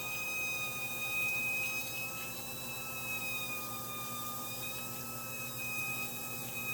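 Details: One-year-old Whirlpool top-load washer: a steady, piercing high squeal at one pitch over the running hiss, once only on spin, now also while filling; cause unknown.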